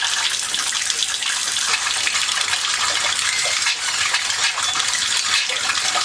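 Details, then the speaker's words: Hot water heater refilled after flushing: steady hiss of rushing water broken by irregular spits and gurgles at the hot faucet as trapped air purges; about 10 minutes to clear. "It took me 10 minutes to clear out the air. Still air is coming out."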